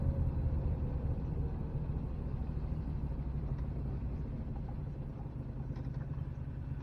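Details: 1969 Renault R10 with 670cc Predator V-twin swap, four-speed manual left in third, CVT drive, driving under load: low even V-twin thrum pulling steadily, no knocks or rattles; engine sounds healthy, CVT dulls the sound.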